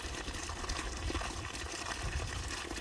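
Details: Restored spring-fed water system pumping about 300 ft uphill, half a mile to the tank; line flushing after the underground leak was repaired: steady gushing and trickling water, no hiss or air sucking; flowing freely, fixed.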